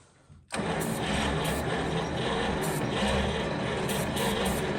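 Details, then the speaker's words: 1940 Cadillac 346 flathead V8 barn find, first start in about 20 years, cold with weak battery, no exhaust: click, then it catches and runs rough and uneven on ether, firing irregularly without settling to idle. "Come on, girl. Come on. It's trying, you can hear it hitting."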